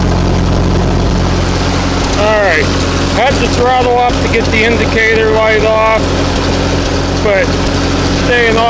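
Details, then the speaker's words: Ferguson TO-20 petrol tractor with a 12 V conversion, idling after a new alternator was fitted. It needs an initial throttle-up to start charging. Steady, even idle with a brief throttle blip and no knocks or misses; it is charging and idles better than ever. "But it's working, charging, and it sounds like it's idling better than ever now with this."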